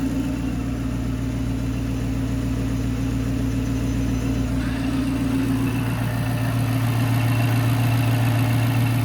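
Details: Dodge Charger R/T 5.7 AWD with 3.0 Whipple supercharger, checked for suspected lifter noise: even steady V8 idle with smooth deep beat and blower hum, no top-end ticking; lifters sound fine, normal idle.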